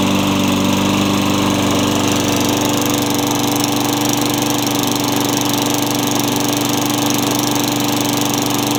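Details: Craftsman mower with engine swapped in for the blown Tecumseh, running after the kill switch and coil were fixed to restore spark: small engine at high speed, strong steady drone with no misses or knocks; healthy. Oil seen in muffler; blade likely unbalanced.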